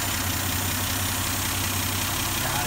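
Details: 1971 Dodge Demon, 198 Slant 6 stored in a garage since 1988, started on the standard battery and starter with no starting fluid, old fuel siphoned out; low, even idle ticking steadily under background chatter and hiss, running smoothly.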